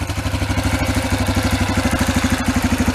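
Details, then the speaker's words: 2003 Yamaha Kodiak ATV: uneven, loping single-cylinder beat near three per second with some clatter; engine falls flat and breaks up instead of revving, reaching only about 15–20 mph; suspected rich-running carburetor. "but before you couldn't even move the machine like you could ride it it'll probably go up to about 15 20 mph but it'll just rev you know starts breaking up"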